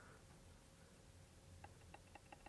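About five crisp, even trackpad clicks over a quiet room hum; the trackpad clicks normally.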